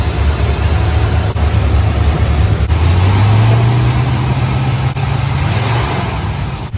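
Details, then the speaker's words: 1974 Corvette engine after new spark plugs and a slight lean adjustment to the carburetor mixture: idles fine but turns rough and stumbling as soon as throttle is applied; misfire under throttle, cause not yet found. "God, there it goes. As soon as I gave it gas, I think it's starting to do the misfire. Yeah, it's definitely acting up."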